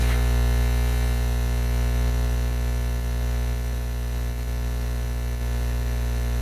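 A steady low electrical hum with an even buzz and no rhythm or change; mains hum from an unknown source.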